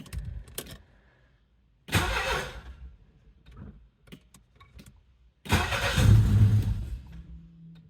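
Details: 1982 Saab 900 Turbo barn find whose fuel pump would not trigger: two bursts of starter cranking separated by silence, with no firing; the engine turns over but will not start.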